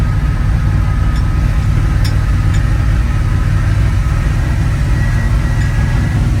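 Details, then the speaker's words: 1980 Dodge Power Wagon W300 1-ton 4x4, carbureted V8, revived after sitting for years, after a short drive: deep, steady rumble, even beat, no misses or knocks, running smoothly. "Well, now that I drove it a little bit, it's running really good. Running fantastic."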